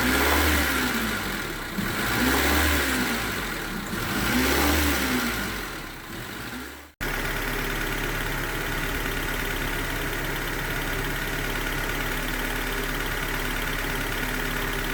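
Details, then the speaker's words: 1996 Honda Civic EX 1.6L with replaced engine, being reassembled after a start-then-stall idle problem; revs settle to idle with a light quick tick despite valve lash adjusted earlier, owner plans to recheck valve lash; engine ticking. "got a little bit of a tick that I don't like but what I'm going to end up doing is how uh I'll look over the valve last one more time I adjusted it earlier but I still don't like the way it sounds"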